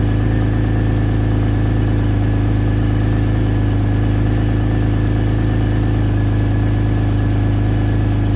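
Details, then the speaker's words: X50 turbo cold start after sitting two to three days: steady, even cold idle with a constant low drone and smooth whirring on top from the secondary air pump running normally. "probably about I would say uh definitely two maybe three days since I started it so you can hear the uh hear the air pump keep on"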